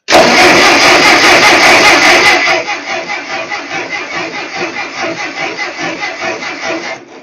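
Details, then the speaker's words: Ferguson TO-35 tractor no-start: starter churns steadily at about 2.5 beats per second but never catches; spark present but weak while points were being sanded and adjusted; later fixed with a replacement distributor. "We're sparking, just not very good."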